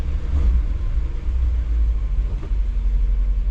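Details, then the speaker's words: Chevrolet Bel Air 348 V8 with Rochester 4-Jet carburetor, choke richened one notch, engine warming toward temperature, still on a somewhat fast idle. Deep, even burble with no stumble; normal warm idle. "But anyway, it's still running on somewhat of a fast idle."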